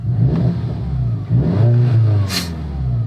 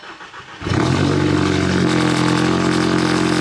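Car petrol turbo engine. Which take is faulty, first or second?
second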